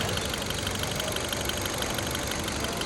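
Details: 2015 Kia Cerato after replacing the faulty cylinder 4 injector: petrol engine idles smoothly and evenly with no stumble or shake, misfire count cleared; normal idle after repair.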